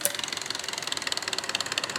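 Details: Old electric radiator cooling fan from a 2013 Nissan Sentra, replaced before it failed: rapid even ticking, about fifteen clicks a second, as if something catches each revolution, much louder in the car; nothing found stuck, so the fault is assumed inside the motor.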